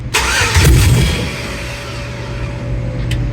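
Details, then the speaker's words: 1994 GM OBS truck with LS swap, new engine harness: short starter burst, then steady hum with fuel pump whine but engine never catches; owner suspects VATS anti-theft, body module unplugged. "I think that's going to be the VATS vehicle ant any theft system that's not letting it start. The body module is what controls that."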